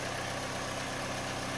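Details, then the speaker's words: 2007 Mini Cooper R56, first-generation direct injection, idling after a spark plug change: even, slightly clattery diesel-like idle with a steady beat and no misses; loud sound stays the same cold or hot, normal for this engine. "apparently these things are supposed to sound like diesel-esque they are first generation direct injection for bmw or mini so they are quite loud and that the sound does stay consistent whether it's cold or hot"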